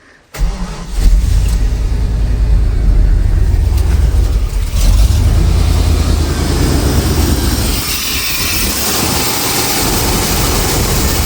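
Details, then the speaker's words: Chevrolet Silverado 350/305 throttle-body engine with rough idle, random misfires, hesitation, backfiring, little power: brake clean sprayed on intake gasket makes the idle stumble and dip, pointing to a vacuum leak there. "Uh, some brake clean ain't flammable. So, when you do this, it'll stall the engine out."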